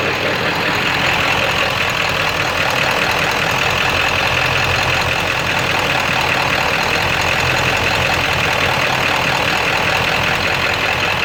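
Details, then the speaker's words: Ford 7.3 diesel switched from high idle to street mode: rough idle with a steady, rapid, sharp knock through the clatter, sounding like a rod knock; raw-diesel blue smoke, low power, EGTs good, source unknown. "I'm gonna switch it to street. Making a totally different noise. Sound like a rod knocking."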